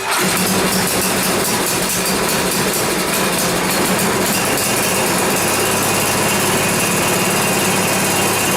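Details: 10 HP Tecumseh Yard Machines snow blower, long unused and under repair: on full choke and primed, it catches almost instantly on a second start attempt and settles into a steady, busy idle with no stumbling; a healthy cold start.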